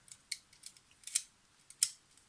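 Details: Yashica FR-1 camera shutter after the pinging spring was damped with light foam: a crisp mechanical snap on firing with only a faint, short ring afterward. This is normal shutter release sound.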